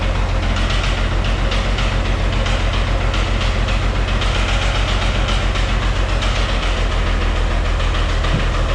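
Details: White 2-155 tractor diesel, idling: a heavy, regular knock at three or four beats a second over the low rumble. Blow-by, exhaust and oil pressure are normal. The internal cause is unknown and the engine is set for teardown.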